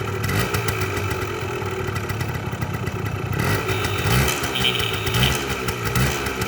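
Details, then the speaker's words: 1981 Yamaha DT175 air-cooled two-stroke enduro, inline fuel filter: crisp busy ring-ding idle with a couple of quick blips rising and settling cleanly; healthy, owner says it idles until out of gas. "So, and it will idle till it runs out of gas. It's not something you want to do with an air-cooled motor, but it would."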